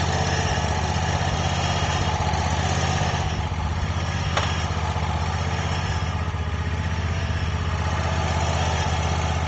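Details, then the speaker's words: Wright Stander ZK mower after stripped/broken engine bolt repair and exhaust refastened: even steady low thrum at idle picking up cleanly when revved, no shake or rattle; normal idle and revving. "but yeah the engine doesn't shake at all when it starts up or revs up or anything like that so I think we got it all right"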